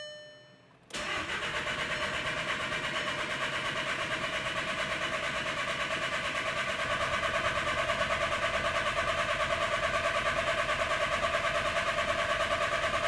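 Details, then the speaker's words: VW Jetta TDI (CJAA) after swapping in a used turbo (the old one's broken shaft prevented starting), turbo pre-lubed, all four injectors unplugged: steady cranking about three turns a second, never firing. "So we're gonna disable the fuel system. So I'm gonna unplug the injectors, nice and easy to do."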